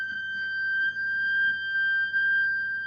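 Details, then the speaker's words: Homemade sustainer driver coil in a Stratocaster-style guitar: steady piercing high feedback squeal over faint hum; maker attributes it to coil not being wax-potted, says waxing reduces it. "that's because of the wax. So if I wax it, we get less of that."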